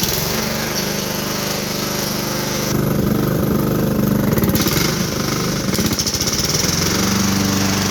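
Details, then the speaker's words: Small lawn mower engine with a rough, hammering bottom-end knock under a rattly exhaust, rising and falling with the throttle; rod knock is suspected, but it may last another season. "that loud knock at the bottom is what i think uh is rod knock but i do believe that you make it through a season with uh with this or more"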